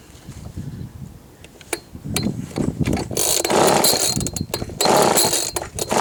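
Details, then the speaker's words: Old Ryobi RSV 3100e two-stroke leaf blower, first start after reassembly, running without tank: sputtering, uneven bursts with raspy crackle as it revs; exhaust leak because the muffler was reassembled incorrectly. "il a un problème avec le pot j'ai du mal remonter un truc dans le pot je vais revoir ça mais sinon il a démarré donc c'est déjà bien"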